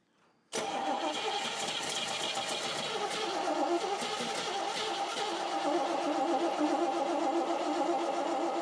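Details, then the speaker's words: Car engine cranked for the first time after engine and transmission install: steady rapid starter whirr, about three to four turns a second, with no catch or firing; fuel starvation, the tank holds only a tiny bit of gas. "There's a tiny bit. Let's go and throw a something in it cuz we should be seeing fuel by now."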